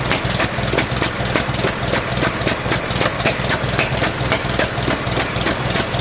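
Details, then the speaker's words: 1947 Farmall M tractor, first start after rebuild: lumpy uneven idle, stumbling beat about three times a second; running on only two cylinders, carburetor popping, no power; later found plug wires reversed, fixed. "it's only running on my two cylinders that I cannot figure out there's also a lot of popping coming out of the carburetor if you can see it also doesn't have any power because it seems to be running on only two cylinders"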